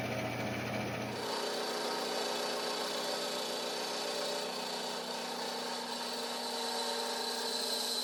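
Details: Vintage Craftsman 109 mini lathe taking a rough taper cut on a 1" UNC nut, compound at an odd angle, with cutting lube, audio sped up: fast, rough buzzing over the motor hum; quite a bit of tool chatter.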